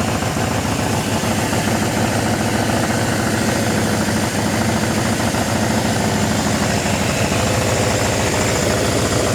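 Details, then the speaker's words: Suzuki GS750 four-cylinder, about 23,000 miles, long-sitting, first start, before valve adjustment or carb needle-and-seat work: steady, even idle with a regular quick beat, no knocks or hunting; runs normally. "It's going. And there it goes. So, it runs. Don't sound half bad."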